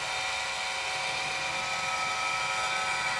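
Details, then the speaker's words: Roctec RF332C external floppy drive on an Amiga 500, communicating but on disk insertion: loud steady harsh grinding with a hiss-like edge, no clean clicks, and the disk reported bad; drive mechanism faulty. "but watch what happens when i insert disk everything goes crazy can you hear that noise"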